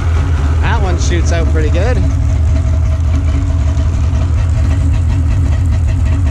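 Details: Freshly installed Sea-Doo 787 two-stroke engine, after battery hookup and crank-over and spark plug tests, idling on the stand with a steady, even drone and no stumbles or knocks; the new engine runs properly.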